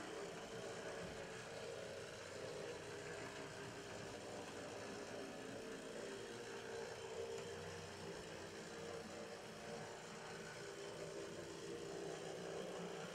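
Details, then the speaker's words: HO brass LMB New York Central 4-8-2 Mohawk #3148 model locomotive with open frame motor: quiet, steady mechanical hum with constant buzzy mid-pitched tone while running; noted gear noise. "this has an open frame motor and runs well as an operating headlight no back head or in cab detail and there is a note that has some gear noise and you'll hear that as it goes"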